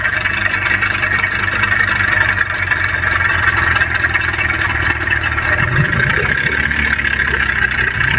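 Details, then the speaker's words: Yamaha 15 hp outboard, owner reports rough running, tested before teardown: harsh, rattly, uneven roar instead of a smooth hum. "oke itu dia bunyi mesinnya sangat kasar untuk cara memperbaiki mesin tempel yang bunyi kasar seperti ini sangat gampang"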